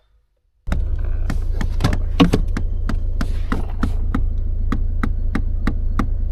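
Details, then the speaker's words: Seat Ibiza diesel (likely 1.6 CAYC): knocking under dash for about 20 seconds after start and in reverse, steady light knock about three per second, felt too; heater flap actuator with broken cog. Heater flap actuator knocking. "But apparently we've got a knocking noise as you start it, and it lasts about 20 seconds and then goes away. And then if she puts it into reverse, it makes a knocking noise, but other than that it doesn't make a knocking noise."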